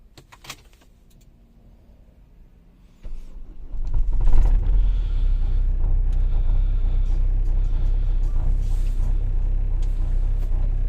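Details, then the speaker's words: Renault Scenic 3, M9R 2.0 dCi diesel, cold start at minus five after starter replacement and battery charge: brief crank, fires within about a second into steady even idle; starter fault fixed. "Все гаразд. При мінуспяти завелись."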